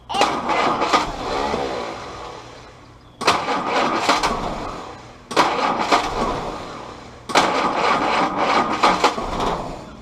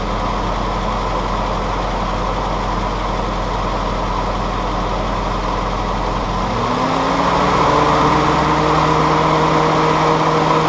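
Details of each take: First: Willys CJ2a Jeep L134 Go Devil four-cylinder with original carburetor refitted: four cranking attempts each catch raggedly for a couple of seconds then fade out; timing suspected, distributor rotated slightly to get more consistent firing. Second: Willys CJ2A L134 Go Devil four-cylinder being tuned, restarted after temperature checks (exhaust about 200, head 140, hoses 115–118). The idle is even and steady, settling to a smoother, slightly lower note, with no knocks or misses; it runs fine.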